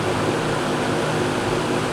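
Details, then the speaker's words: Old GE 20-inch box fan, model F17W12, on high: smooth, even airy rush with a soft low-pitch hum underneath and no rattle or ticking. Normal running. "I can come in a room with my eyes closed and know that yep that's the sound of an old box fan running they always have that distinct low pitch frequency sound"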